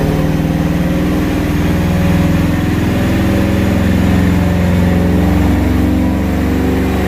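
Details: Ford SVT Lightning V8 truck on a dyno, second pass after changing the previous owner's MSD coils: loud, heavy drone under steady load with an uneven, stumbling pulse underneath. Misfire from a faulty injector.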